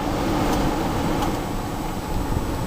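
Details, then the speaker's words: Vehicle HVAC blower motor, cycled low to high: strong steady rush of air on high with no squeal, rattle or ticking; blower runs smoothly and very quietly. "low medium low high this flow is crazy out of this thing much better"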